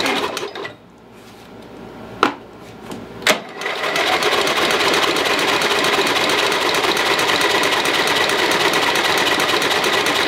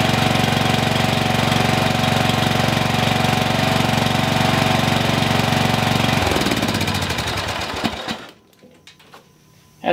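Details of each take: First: Lowe's 1442 mower, 14 hp engine, carburetor reattached, chokes on, spark confirmed: fast rhythmic cranking at about three beats/s that never catches. Owner suspects flooding. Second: Single-cylinder mower engine, formerly locked, running after one small piece that was stopping it was sorted, exhaust reinstalled: steady, even beat with no knocks, then winds down and stops; runs normally.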